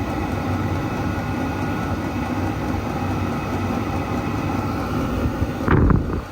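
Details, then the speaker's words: Chinese diesel night heater for a workshop, shortly after ignition with the exhaust slightly warm as it warms up and ramps its output: a steady, even low roar with no popping, misfiring or surging; the burner is running cleanly. "well it's burning out slightly warmer I wouldn't say hot I'm not sure a little double blob means it's warming up oh it's cranking up"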